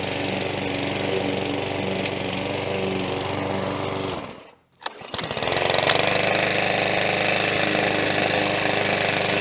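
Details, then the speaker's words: McAllister 16-inch petrol push lawn mower, used out of the box without dealer tuning, cutting grass: engine note sags, nearly dies and picks back up, hunting and surging up and down, running rough. "Again, this is the one that was hunting a little bit, the engine. So it was sort of going up and down and surging. Just hear it going up and down."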